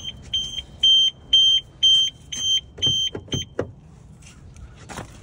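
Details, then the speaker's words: 2013 Audi A4, about 101,000 miles, front-end damage, no key; opening it set off the security alarm, a high piercing chirp pulsing about twice a second in several bursts, then cutting off. "Oh, I didn't like me opening up that. That's your security alarm."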